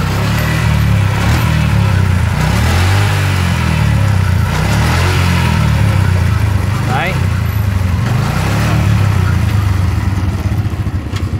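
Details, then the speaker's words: RK chain and sprocket set (428 O-ring chain) fitted to an Exciter 135 that previously rattled; engine started to show the chain: steady run with even, quiet chain whir, no slap or jumping — normal, smooth chain drive. "không hề nhảy nha anh em mượt mà luôn"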